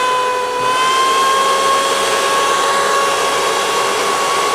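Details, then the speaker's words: Dyson Ball vacuum (curbside find) with beaters off, before clearing a packed airway: steady motor hum with a thin whistle near 1 kHz, strained and choked; weak suction from clogged airflow. "Yeah, it really just don't have much suction."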